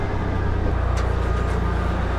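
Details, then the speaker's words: 1998 Toyota 4Runner, 178,000 miles, petrol SUV idling after sitting a long time: steady, even low rumble, no clicking or clacking; sounds really good, normal idle. "And then from here we see, it sounds really good. No clicking, no clacking."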